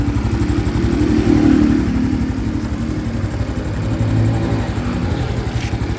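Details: New 2025 Honda Biz engine shows a new noise after being accelerated to under 70 km/h: light, fast clatter about four taps a second that rises and falls with the throttle; cause not pinned down.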